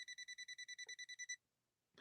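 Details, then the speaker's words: Swedish sewing machine run via step-up converter, checking for voltage at the lamp: voltage tester gives rapid even chirping beeps, about ten per second; voltage present. "we check the light we're getting a positive response right"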